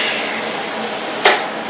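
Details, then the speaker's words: Rossi TC205 AC TIG welder (not welding, set at 66 amps): even steady hiss of shielding gas flowing, then sharp click as valve shuts and hiss tails off; gas flow and post-flow working normally. "Test the gas flow. You can hear the gas flow coming out there, I hope, and you can see that the post flow is working."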